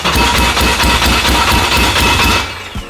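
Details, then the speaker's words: Abandoned Honda just built, first start after a blown coil fuse was replaced, fuel pressure guessed on a new tune: loud strong quick even pulse with rattly exhaust before shutting off; engine fires cleanly. "This thing sounds like a river. I like the rattle exhaust."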